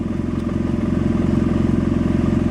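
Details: 2009 BMW F800GS with Dynojet Power Commander 5 Autotune, secondary air system disabled, warm idle: lumpy, pulsing idle with loping beat and slight clatter; rough lean idle.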